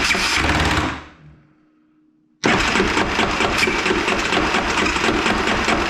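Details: 2001 Yamaha Kodiak 400 ATV after fitting new starter clutch and starter: coarse rough grinding chatter while cranking after a short pause, unchanged from before; owner unsure whether starter or one-way bearing, worn starter drive suspected.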